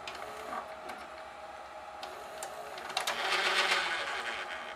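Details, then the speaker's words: GoVideo DVR4000 DVD-VCR, top off, tape inserted: small mechanism whirring and clicking about four times a second, rising to a harsh grind near the end; tape won't eject, drive gear cracked and detached from clutch, almost no take-up torque. "it doesn't like that there's definitely something going on with that mechanism it doesn't want to give me my tape back"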